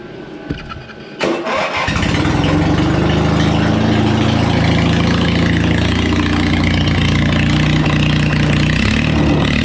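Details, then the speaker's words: Old John Deere lawnmower engine converted for racing: catches, then holds a loud steady rev that won't climb higher; owner suspects it needs more fuel, carburettor tuning pending. "oh yeah we have to do a little more tuning on it because it sounds like it needs a little more gas but that shouldn't be too big of an issue"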